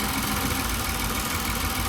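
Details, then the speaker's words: Toyota Avalon just started after fuel pump fix following a no-start: lumpy, uneven idle with irregular thumps and stumbles; misfiring, attributed to water in the injectors and spark plugs, expected to clear once dried out. Fuel pressure 43–44 psi. "Mamaliang lang to sa una pero pag nalinis na yun o matanggal na yung mga tubig-tubig sa injector saka sa spark plug. Titining na yung andar na yan."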